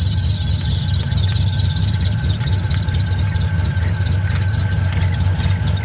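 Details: 1970 Camaro Z28 with a built LS2, LS3 heads, a newly installed Edelbrock E-Force supercharger and accessories moved 3/4 inch forward, at idle and making boost. A loud, steady belt screech is heard; the location is unsure.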